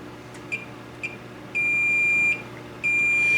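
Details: Multimeter continuity test on the horizontal output transistor removed from a K7000A 25-inch arcade monitor chassis that was involved in a fire: short chirps, then a long steady high beep; the HOT is dead shorted.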